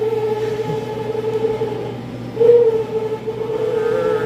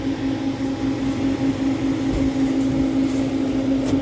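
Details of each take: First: Prep table refrigeration fan, C-frame motor: wavering mid-pitched squeal over the fan hum, rising and falling like a cry; technician guesses a failing motor bearing, motor then replaced with a C-frame motor kit. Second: Newly replaced C-frame fan motor on a prep table, after cutting out a rubbed-through neutral wire that likely tripped the GFCI: smooth constant mid-pitched hum, good airflow, no squeal or rattle; healthy fan motor.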